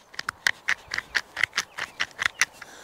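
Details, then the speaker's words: Woodland Mills HM126 sawmill pulley wheel bearing at about 230–240 hours, turned by hand after noise during milling: about a dozen gritty scrapes in three seconds, stiff and catching; the bearing is worn out. "you can see that bearing is turning but it's turning stiff and I can hear it you can literally hear it"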